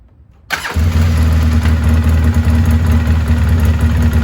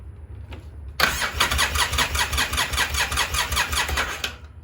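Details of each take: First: 2003 Polaris Sportsman 700 carbureted ATV after fixing a no-fuel no-start with a new diaphragm fuel pump, fuel filter, hose and switch: catches on the first crank and settles into a steady, even, low idle; normal start and idle. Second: 2003 Polaris Sportsman 700, carbureted with a diaphragm fuel pump: the starter churns steadily at about four pulses a second and never catches; no fuel comes from the pump line, so the no-start is a failed fuel pump.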